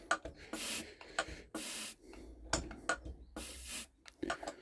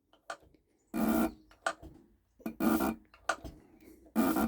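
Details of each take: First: Mercedes OM603/OM606 turbodiesel injector on a hand-lever pop tester, third injector, leak-tight: each stroke gives a soft smooth hiss with no crisp chatter; worn nozzle. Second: Mercedes OM603/OM606 turbodiesel injector under test: sharp repeated bursts of harsh chatter with quiet gaps; injector chatters and sprays properly.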